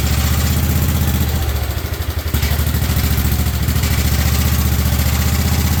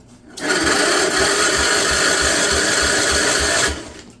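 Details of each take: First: 1958 Wisconsin AENLD engine, revived, muffler fitted, fed from a fuel bottle, choke off: steady even low beat at constant speed, no misses or clatter; normal running. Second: 1958 Wisconsin AENLD engine, off a street sweeper, first start in many years, run on the ground: steady starter churn, about 2.5 pulses a second, never catches; lots of oil in cylinder, flooding suspected; cranking, no start.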